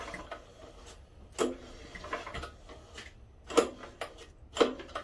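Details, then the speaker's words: Tecumseh-powered generator left outdoors for years; after carb cleaning, float set and spark and fuel confirmed, on full choke with fuel on, several pull-cord cranks about one a second without catching; cranks but won't start, owner suspects lost compression. "Alright. Oh, come on. It had compression, now it seems like it's lost compression."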